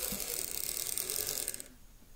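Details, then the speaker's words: Lima Class 55 Deltic model locomotive, poor runner, on DC. Fast buzzy ratcheting chatter in uneven bursts that cuts out and stalls at the track end; rough, jerky running, suspected poor electrical pickup. "It's not terrible, but I know it can be better."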